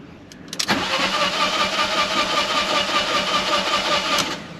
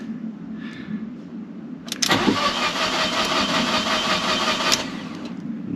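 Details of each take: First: Fiat 500 TwinAir after engine reinstall with oil drained, codes for spark plugs and fuel pump relay; starter whirs steadily about three and a half seconds to build oil pressure, no catch; normal cranking without start. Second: Fiat 500 TwinAir replacement engine: starter whirrs about three seconds, turns evenly but never catches after attempting fuel cut-off reset via indicator stalks; codes later P0230 fuel pump relay and a spark plug code.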